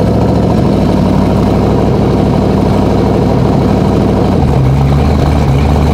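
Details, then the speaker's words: Turbocharged Z06-engine street Corvette at the track on its first passes: deep, loud V8 roar holding steady with a turbo whoosh building mid-track as the car pulls hard; normal turbo spool-up under acceleration. "that turbo started like like the noise that makes that mid track it was doing it right"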